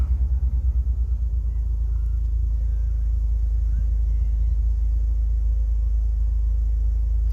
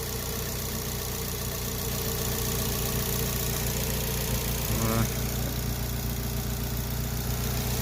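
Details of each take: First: TM-square turbo Suzuki Swift ZC31S back on the road after three months of repairs: a low, even rumble that settles into a steady, smooth idle with no misses or knocks. Gauges are good, water temperature 70. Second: TM-square turbo Suzuki Swift ZC31S, running again after three months of work, low on fuel, heard at idle: faint whirring hum instead of the crisp tick the owner expects; cause unclear, owner also worried about smoke.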